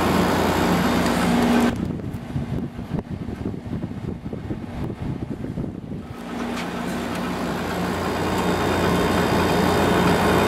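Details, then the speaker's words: Samsung 6,300 BTU window air conditioner with a Samsung compressor, just after the compressor starts in cool mode on low at about 3.36 A. A regular buzzing rattle three to four times a second sounds over the hum, yet the unit works and is cooling. "Something's vibrating in there, but it seems to be working fine."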